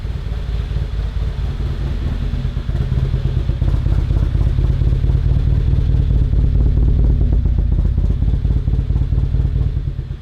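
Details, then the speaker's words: Focus ST with a custom-rebuilt stroker engine (STRS) and modified firewall, warming up; a damaged throttle body is throwing codes and needs replacing: deep, lumpy idle with a choppy low pulse, swelling slightly and settling. "It definitely sounds like a stroker."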